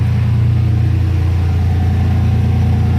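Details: 2014 Silverado after replacing the leaking AC discharge hose, idling with AC on max cold and fan on high before refrigerant charging: deep, smooth, steady rumble with no misses, knocks or squeals; healthy idle.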